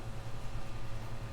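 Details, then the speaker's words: PS5 CFI-1015A after Southbridge replacement and Blu-ray drive repair (gear repositioned on manual eject gear), partly reassembled: low steady hum with soft even pulse as the disc loads and spins up; drive working normally. "Yes, it will. And it will load the disc. And we are spinning."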